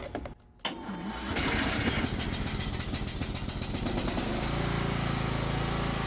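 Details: Cub Cadet XT1 Enduro riding mower after starter solenoid replacement, battery weak and on charger: brisk, even cranking about three seconds, then it catches and settles into steady idle; starter circuit working properly.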